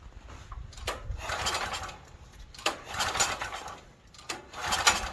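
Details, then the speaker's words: Stanley 8000 W generator bought used and left sitting four years, pull start with starting fluid: three rasping strokes about every second and a half with no firing or catch, cranking but no start; it ran briefly afterward. "and then I'll put the choke on. And if it starts, it may suck up fuel after that."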